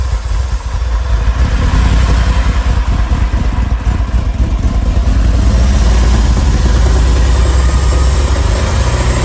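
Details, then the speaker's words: Ferrari 308 GTSi after new ECU and injectors: loud, lumpy, uneven running only while fuel is squeezed in by hand, dying when throttle is applied; fuel starvation rather than spark. "Burns the fuel. Dies. What's going on? Okay, so the car is back together, but clearly we have some kind of fuel starvation issue."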